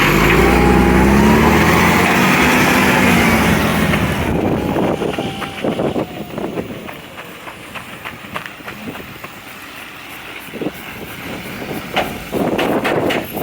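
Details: Recycling truck, diesel: sharp regular puffing tick about four per second riding over the engine note; exhaust leak.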